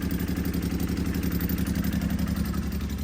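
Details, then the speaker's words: Can-Am Maverick X3 just refitted with a smaller FP Green turbo and the MoTeC standalone ECU removed: uneven, lumpy idle with a steady stumble about four times a second, sounding like it's running on 2 cylinders; fuel pressure low at about 50; engine misfire. "Let's try it. Well, it sounds like it's on 2 cylinders."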